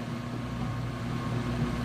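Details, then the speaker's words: Whirlpool Ultra Care II top-load washer, filled on Super Plus setting: low, even motor hum with soft churning wash, agitating strongly, no knocks or grinding; normal agitation. "Alright, so we've filled up and it's agitating nice and strong. You can hear it."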